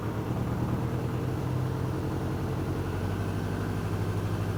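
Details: BMW K100 cafe racer project on fresh fuel after flushing bad old fuel: steady, even low idle thrum with no knocking or ticking; running smoothly.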